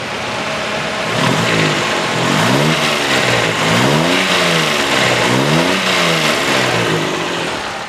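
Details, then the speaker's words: 1990 Daihatsu Charade CX small petrol engine, used car for sale: clean rises and falls in pitch through repeated throttle blips, smooth and even throughout; normal revving. "Lah ini benar-benar bisa Suaranya bisa benar-benar halus Nah kita coba geber pun suaranya dia tetap aman tetap masih enak gitu"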